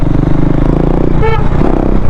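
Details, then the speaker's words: KTM Duke 390 BS4 after returning from a trip with an engine noise problem, after repair: even, steady idle with no top-end ticking or chain rattle, brief horn toot; noise now back to normal, cam chain sounds normal. "अब तो उतनी नहीं आ रही बड़ी मतलब जैसे normal आती थी पहले वैसी आ रही है"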